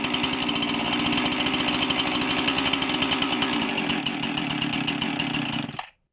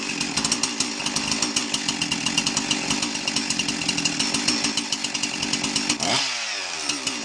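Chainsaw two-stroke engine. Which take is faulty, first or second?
first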